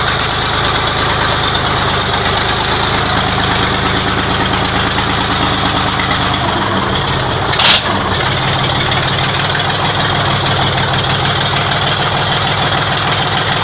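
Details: YaMZ-236 V6 diesel on first start after a rebuild, steady even idle clatter with a low throb and no misses or knocks; sounds healthy. Some smoke was noticed afterward and the engine had warmed slightly.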